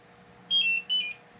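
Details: RV propane detector alarming: two short bursts of high warbling beeps in a quiet room, propane leak at the oven connection after reinstalling it in a new countertop; cause found to be a fitting not tightened enough.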